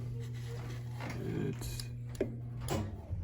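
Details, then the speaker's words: Burnham gas-fired steam boiler in automatic operation before ignition; vent damper motor hums steadily with a few soft clunks as it cycles. Normal vent damper motor operation. "we're probably going to wait the damper is making that noise we are in the automatic operation right now it is closing"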